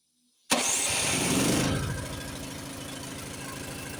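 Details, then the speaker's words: Honda snowblower pre-storm check, electric start with choke on: starter whir catches at once, engine fires and settles into a fast, even single-cylinder idle on choke; normal cold start. "Of course, you want to make sure it starts. Let me think. I got electric start on this. Let's see if it will work. Put the choke on."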